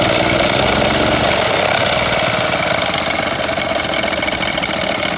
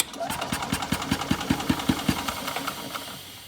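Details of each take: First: Older Yamaha golf cart single-cylinder engine after fuel system overhaul, fuel now reaching the carburetor: buzzing fast and rattly on choke, holding a steady pace without misses; runs fine now. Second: Old Yamaha golf cart engine after a no-spark fix and fuel system overhaul, having sat a couple of years: puffs at about two and a half beats a second with a breathy, choked exhaust note; owner suspects a clogged muffler.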